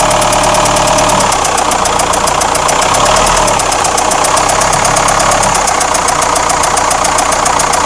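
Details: Renault Espace 4 2.2 dCi diesel at idle with a sharp, fairly quick clatter riding over the tick-over; engine knock, cause unclear.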